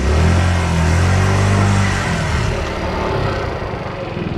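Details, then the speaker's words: Refurbished 50cc two-stroke scooter, warmed up, little fuel in tank: revs up cleanly and settles back without stumbling or rattles; running healthy. "sounds pretty good. It's running pretty darn good, I'd say."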